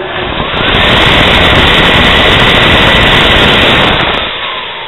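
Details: Nu-Way NGN15S1S150 on/off fully automatic natural gas burner, fan started manually while the burner is taken apart: a smooth, even rushing hum spins up, holds steady and winds down with no rattles or scraping. The fan runs normally.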